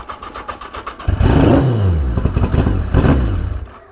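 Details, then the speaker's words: 1982 Yamaha XJ750 Maxim barn find, new battery and cleaned tank, restarted on choke and smoking; fires, revs unevenly with surges, then sags and dies within seconds; starts then stalls, cause unknown. "now she don't want to run so what does all this tell you"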